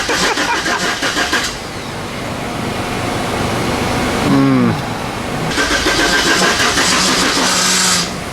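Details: Turbo 5.3 LS truck after years sitting, with new inline fuel pump, filters and fuel lines: fast steady cranking at about three and a half beats a second that never catches; cranks but won't start.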